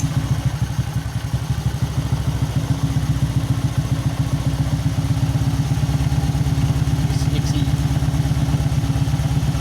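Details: Honda Supra X 125 motorcycle after swapping in a Jupiter regulator/rectifier and a Shogun 110 CDI: steady single-cylinder idle with even pulses, no stumbling, also clean at higher rpm.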